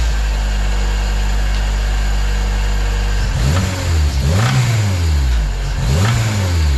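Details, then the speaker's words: K24 turbo-swapped EG hatch with a suspected spun bearing; oil pressure dropped to 14 psi at over 8,000 rpm at wide-open throttle: steady idle, then light blips rising and falling roughly, louder inside the car; rod knock. "so I revved it up just a little bit just to see if I can get some noise for you guys but I can ensure you inside the car it's pretty loud"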